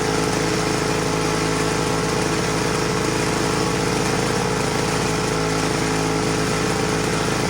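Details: Vintage Homelite HRA 42V 115 V 1500 W two-stroke generator, on a rich oil mix, runs a fast buzzy even beat with no stumbles or surging; running normally and reliably.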